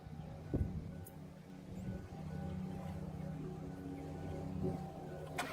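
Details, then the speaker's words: Van with big V8 left unstarted for months, battery dead at 1.6 V and rained on overnight: brief crank, then it catches on a NOCO GB70 booster (override mode) and settles into a steady low rumble. Normal start, charging about 14.5 V. "Holy crap, it started right up!"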